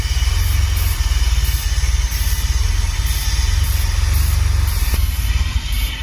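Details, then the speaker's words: DeLorean DMC-12, 977-mile barn find off road about 18 years, first start: steady even low idle, no exhaust tick, quiet valvetrain, no low-end knock; healthy engine. "that's what we're looking for guys a nice quiet motor the exhaust isn't even ticking nope the valve string is quiet I don't hear any low end noise"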